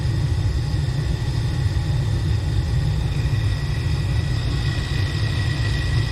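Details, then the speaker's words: Gas furnace after replacing a seized blower motor: the inducer starts and the burners light, then a steady, even low rumble with no knocks, squeals or surging as the new blower spins up; normal blower operation. "um okay there goes the blower [Music] motor process we didn't get that last time we did no movement imagine that motor seems to be working good [Music] so far so [Music] good"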